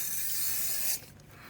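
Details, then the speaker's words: Pressurised water pipe buried in a care home's concrete floor near a drain-off three inches down: water switched on gives a loud, steady spray hiss for about a second, then cuts off; the pipe is leaking. "i don't know if it's just on the drain or something let's switch it on that's leaking from somewhere"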